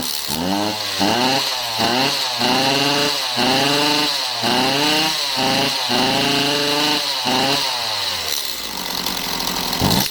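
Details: Stihl MS192TC chainsaw with bar and chain off: repeated throttle blips about once a second, pitch climbs partway then sags; starts easy but bogs and won't rev.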